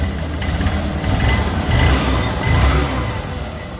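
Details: Honda Shine single-cylinder motorcycle after timing chain replacement for engine noise: even low thump at idle and two smooth rev swells, no chain rattle; normal idle and rev.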